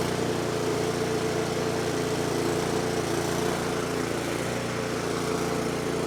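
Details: 24-inch snowblower that sat 2 years, after a quick carburetor cleaning, on choke: the small engine holds a steady buzzing idle with no stumbling or surging and runs smoothly.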